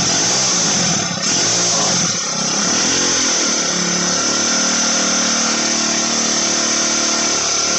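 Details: Motorized bicycle with turbo, version 4, after jetting fix: small two-stroke holds a high, thin steady buzzing whine at high revs, like a dental drill, no stumbling or bogging; normal running.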